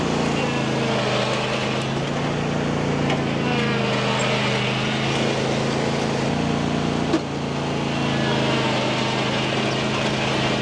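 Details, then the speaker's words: John Deere E120 riding mower after drive repair, test drive up hills it previously struggled to climb: steady even engine drone under load with no slipping, surging or squeal; driving normally. "all right guys so as you can see I just test drove it around my property up and down the hills that have been causing issues for this to climb and it did amazing"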